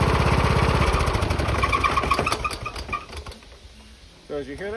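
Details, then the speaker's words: Small engine with hood removed, started up: rough shaking thump about three beats a second, dying away as it stops; the engine is loose on its four bottom mounting bolts, moving front to back. "doesn't sound good to some people it sounds like the engine's completely shot but it's not the engine is just loose"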